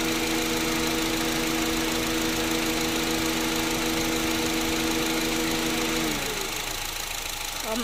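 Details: Smooth even idle from a Honda City after AC repair (new compressor clutch, compressor oil changed, O-rings, filter, refrigerant) with steady compressor hum until it cuts out; no rattle or grind, cabin air 5°C, running normally.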